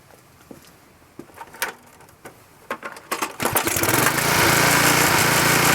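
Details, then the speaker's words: Klippo Champion lawnmower with Briggs & Stratton Quattro 40 engine: pull-start knocks, then a steady but rough, heavy drone. It is running very rich and weak, getting too much fuel. The owner suspects the carburetor and plans a new carburetor and spark plug. "I can use this but it's not still running and the way it's a nice it's running very rich"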